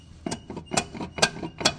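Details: Nissan R35 GTR driven into the shop with a loud racket, first suspected broken rod or tail shaft bearings: sharp metal clunks, about two a second, as the flex plate is rocked by hand; broken crankshaft.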